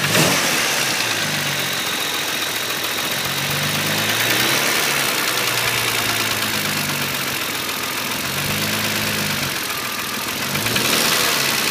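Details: E36 M3 3.0 S50 straight-six blipped gently at low revs: quick light knock/tick about four per second over the exhaust note, seeming to come from around the inlet manifold; cause unknown.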